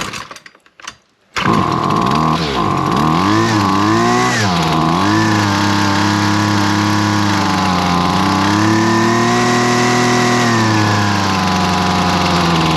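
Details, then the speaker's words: Husqvarna 128LD trimmer that only ran on choke, carb screws set about 1.5 turns out: starts, pitch swings a few times, then settles to a smooth steady two-stroke idle; head stops spinning, idle about right. "The wheels stop spinning up front, so we know our idle's about right."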